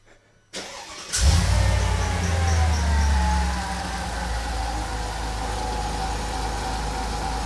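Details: Mercedes SL55 AMG, supercharged M113K V8, first start after fitting Needswings intake manifold and fuel pressure gauge, fuel pressure 65 rising to 70 psi: quick crank, clean catch, brief high idle settling to steady even rumble; healthy, no misfires or knocking.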